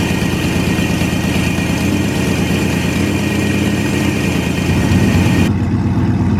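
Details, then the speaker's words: 1998 GMC K2500 V8 after exhaust repair with ball-and-socket header joints and spark plugs refitted: steady, low idle with an even, loping beat and no puffing or ticking near the manifold; normal idle. "and then yeah we're going to start it up and hopefully it don't sound like a 54 Triton like it's going to blow up so we shall see"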